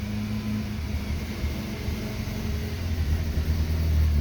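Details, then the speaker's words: BMW E36 Compact 316i 1.9 with the check-engine light on: it won't hold idle at any engine temperature. Releasing the throttle gives a low, uneven idle with misfire-like stumbles and shaking, rpm sagging toward a stall. Rough idle with misfire. "ahora mismo parece que hay unas falsas explosiones estamos soltando más el acelerador empieza a temblar"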